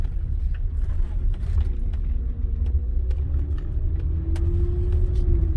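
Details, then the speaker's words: 2007 Honda Ridgeline, low-speed tight circles under light load: droning moan rising and holding, worse turning right but also left, fine straight; rear differential, fixed per Honda bulletin by changing differential fluid, improving after several turns. "worse turning right but i heard it going to the left as well hmm that's strange only does it turning"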